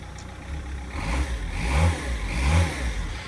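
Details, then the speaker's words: Rover 75 diesel (TD4/M47), disintegrated crank pulley removed: idles, then two clean blips rise and fall smoothly with no knock, rattle or slap; runs normally, no crank failure. "obviously now that the the thing is removed you can hear the Rover 75 just chilling as she should be running like that that's exactly how she usually runs give her a few licks"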